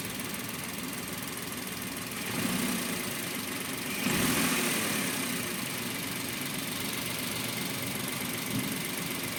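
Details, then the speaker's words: Suzuki Every DA17V minivan, warm idle around 800 rpm: light uneven metallic rattle about three beats a second that disappears above 1,000 rpm or when throttle is applied; owner suspects tensioner bearing. "Feeling ko ano yan eh tensioner bearing. Pero pag inangat ko yung seat nawawala eh."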